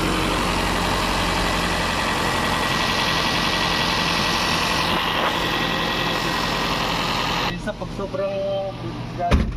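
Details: Toyota GLI 4A-FE automatic, hard starting, noisy, idle dropping when hot and stalling on shift to R/D: uneven lumpy beat then dies near the end; timing seems advanced, cam timing one tooth off.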